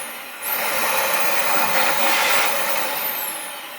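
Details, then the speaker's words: Dyson DC39 barrel vacuum after removing rubbish from the motor that caused loss of suction and noise; motor spins up to a smooth steady high whoosh with faint whistle, no rattle; normal running, suction restored. "it's got suction that's fantastic i think that's good enough and i'm pretty sure that's all i needed to do for this one"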